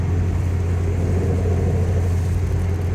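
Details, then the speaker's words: 2003 Pontiac Vibe GT 1.8L driving about 60 mph: steady low droning hum under road noise from a worn driver's side front wheel bearing; noise started after hard cornering, goes away when turning, wobbles when jacked. "I noticed the wheel bearing was starting to make noise after I did some hard cornering. I was going about 60 around a decent curve. New sound in the vibe."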